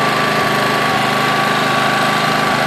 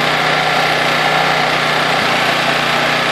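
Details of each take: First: Honda EX800 generator (120 V AC, 800 W max) just started after a tune-up, side cover off: steady, even drone with a slightly low pitch; Hertz meter shows 50 Hz, engine underspeed, needs raising to 60 Hz. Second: Honda EX800 generator (120 V AC, 12 V DC, 800 W max/700 W continuous) after tune-up, governor adjusted from 50 Hz toward 60 Hz; steady even drone at one constant pitch, no surging or misses, quiet; normal running.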